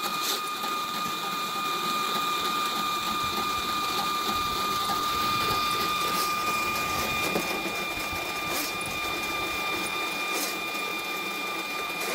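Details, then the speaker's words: Spartan 1065 drain cleaning machine feeding its spring-wound cable through a backyard drain pipe; an even motor whine with a steady high tone and light rhythmic ticking from the turning drum. Normal operation. "this is a Spartan 1065 drain cleaning machine the way it works is this is the real keeps turning builds up tension on this spring wound cable"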